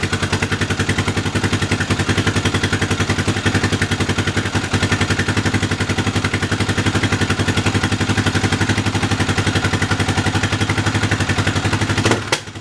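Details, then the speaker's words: Yamaha 660 single-cylinder on new carb with old jets swapped in, cold; choppy thump near 220 a minute with uneven popping and stumble trying to rev, running lean; owner suspects jetting still not right. "So, I have a feeling it's just not quite jetted properly all the way."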